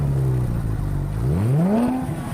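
A deep, smooth engine note climbs cleanly in pitch as the revs rise, with no knocks or misses; a healthy, strong-running engine.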